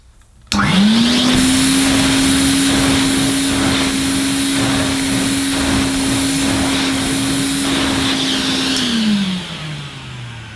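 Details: 1980 Hoover Constellation 867A floating vacuum cleaner, suppressor removed: motor spins up fast to a steady, even whine that holds without wavering, then winds down smoothly; healthy vacuum motor.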